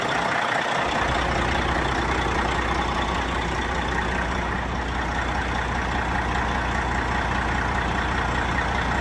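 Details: Non-running Peterbilt 379 project truck diesel, first start: low idle with uneven, choppy beat and faint whine on top; owner suspects a little air in the system, unconfirmed.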